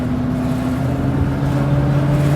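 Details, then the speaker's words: 1973 Mercedes-Benz 450SLC after a Pertronix Ignitor 1885 install fixed a no-start, with the factory ignition control and tach wire removed; while driving, a smooth engine drone rises gently in pitch with no misfire or knocking. Normal running. "I took the tack wire off, everything, and went just with our ground wire from our Pertronix. Fired up, ran great, done deal, finito."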